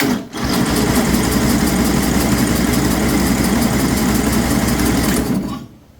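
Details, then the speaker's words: 2007 John Deere zero-turn mower after carburetor and head gasket repair, fuel on and reaching pump and filter: steady cranking about four turns a second, never fires; fuel solenoid at bottom of carburetor was left unplugged. "So, I just realized what I did. I didn't plug in the fuel solenoid in bottom of the carburetor."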